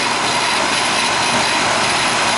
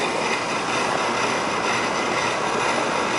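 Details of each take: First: Rheem AC condenser, about 15 years old, running after contactor short/transformer repair; low suction pressure, 15° superheat, 41° line, never ices up. Loud even fan rush without rattles, squeals or surging; running smoothly. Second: Old Rheem 3.5-ton AC condenser restarted after fixing contactor low-voltage short that blew transformer; suction pressure 50, low airflow, 15° superheat. Loud hiss and hum with uneven coarse edge; technician says it doesn't sound good.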